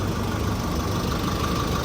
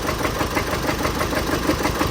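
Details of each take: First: Chevrolet Colorado Z71 2.5 diesel, 5-speed manual, after repair of in-engine noise and shaking when releasing throttle: smooth, steady idle with even low rumble, no misses; road-tested an hour with no problem. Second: Chevrolet Colorado Z71, 2.5 diesel, 5-speed manual with engine shake: a rough idle with irregular knock and uneven shake under the clatter. Scanning found the cylinder 2 injector faulty, so the fuel injectors are failing; an alternator circuit code was also present.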